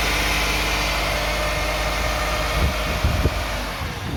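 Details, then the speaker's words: 2009 Toyota Sienna minivan at idle, around 1,000 rpm: coarse buzzing rattle that flares briefly on a blip; owner suspects the flex plate or its bolts, torque converter or transmission pump, not yet confirmed. "I could remove and inspect the uh flex plate between the engine and the transmission because there's a rattling noise when the car is on 1,00 RPM or so."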